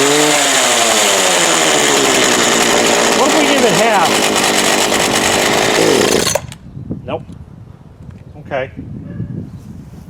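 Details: Craftsman 19-inch 25cc gas hedge trimmer with gas of unknown age, started on choke: engine screams at high speed, pitch wanders and surges, bogs, then cuts out abruptly; rough running, then a stall.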